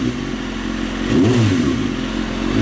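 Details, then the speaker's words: 2003 Kawasaki ZX6R at operating temperature, fan cycling, after resetting the timing chain tensioner: even idle, clean rev and smooth return, no chain rattle; earlier noise cleared, no smoke, small coolant leak at reservoir, healthy engine. "so yeah the fan kicks on when it should small coolant leak from the reservoir and it's not smoking so i think we got a good motor here sounds good after i reset the timing chain tensioner sounds great"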